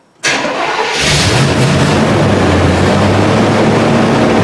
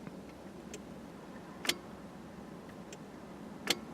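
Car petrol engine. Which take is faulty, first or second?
second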